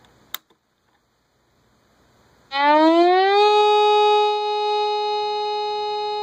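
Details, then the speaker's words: Old Compass metal detector switched on with discrimination turned up, no target: after a click a tone rises then holds steady and unbroken while the meter pegs; stuck constant tone, owner suspects a bad coil, unconfirmed. "it just pegs it weird does that mercury switch have anything to do with it just a solid tone okay that shuts the speaker off"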